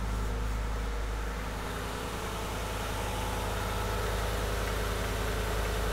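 A V8 idles with a steady, even low rumble and no stumble or skipped beats.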